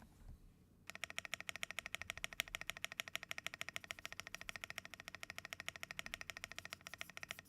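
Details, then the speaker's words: Yunzi AL71 custom keyboard: fast typing about three keystrokes a second, each clack with a thin metallic ping ringing after; cause unclear. "sounds like metal yeah it has a weird pinging noise to it"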